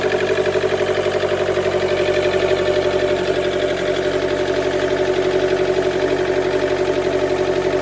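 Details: 2013 Chevy Volt with P0101, poor mileage, power loss above 70 mph and engine shutdowns; MAF, plugs and coil pack were replaced without fixing it. Uneven pulsing idle about three beats a second, a rough idle with misfire.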